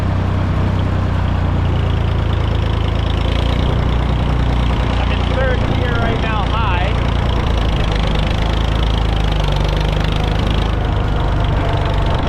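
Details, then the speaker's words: International 454 British diesel loader tractor being driven after its missing was cured: steady, even chug with no misses, stumbles or sputter, and no smoke. Normal running. "It's running pretty good. Not missing. Not sputtering. And not smoking either, which is like I said, it it cleaned up pretty damn well."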